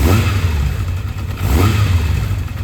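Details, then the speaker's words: Kawasaki Zephyr 750 four-cylinder, cold, after replacing the faulty cylinder 2 coil and a carb rebuild, air box off, idle not yet adjusted: crisp throttle blips every second and a half falling back evenly, smoking but running clean on all four cylinders. "Does that sound like 4 cylinders? It does, doesn't it? She's a runner. She's smoking like crazy. Sounds chipper."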